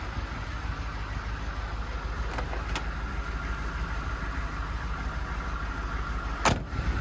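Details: 1991 V3500 dually squarebody diesel, low miles, Michigan truck its whole life, idling with an even low rumble and smooth steady beat, no knocks or misses; normal healthy diesel idle.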